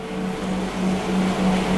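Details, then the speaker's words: Alex PID White espresso machine at first switch-on, its rotary pump filling the boiler: a soft, steady low hum with a faint higher tone, smooth and even. The rotary pump is very quiet and smooth, which is normal. "Jadi rotary pumpnya Izo nih, rotary pumpnya Alex PID dan Alex Duetto tuh sangat-sangat silent suaranya, halus banget."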